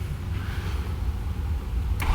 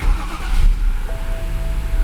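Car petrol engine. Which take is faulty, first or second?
first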